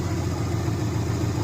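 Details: 2004 Subaru Impreza idling after engine re-assembly with a JB Weld-repaired stud (coolant-burning fix), coolant being burped; judged fixed: smooth even idle, steady low hum, no knocks or misses.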